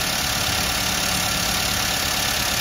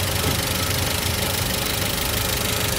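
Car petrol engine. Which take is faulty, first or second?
second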